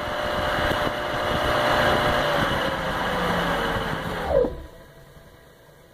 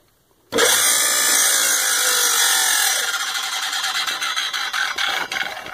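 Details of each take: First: Baldor CL3509 1 HP 3450 RPM electric motor after repairing its dented fan shroud; smooth, even hum with no rubbing or scraping, then a quick clean spin-down after switch-off; running quiet and normal. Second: Baldor CL3509 1 HP 3450 RPM electric motor, auction find with new cord: high steady whirring with scraping rub and fine ticking as dented rear fan shroud rubs the cooling fan.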